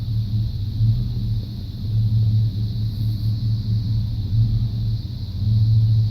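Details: 1995 Chevy C1500 350 TBI V8: uneven idle lope that surges and sags, misfire persisting after new plugs, wires, cap, rotor, EGR valve and coolant temp sensor.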